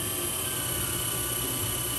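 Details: HB R1001 Ford Bronco RC crawler, after fix: shift servo linkage lengthened two turns. Even, steady whir at constant pitch with no clicks, skips or grinding. Gearbox running smoothly.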